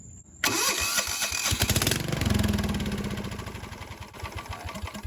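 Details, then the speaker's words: Cheap non-running riding mower: engine cranks, catches with a rough putter, then fades and stalls within seconds; spark is strong, carburettor issue suspected after checking the parking brake safety switch. "Definitely a carburetor issue. It's getting plenty of fire."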